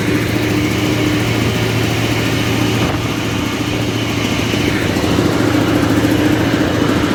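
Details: Caterpillar 988F2 loader diesel after repair of broken cylinder 5 injector hold-down bolt and damaged injector seals: steady even idle, smooth regular beat, no knock or stumble, black smoke and hard start fixed; normal idle.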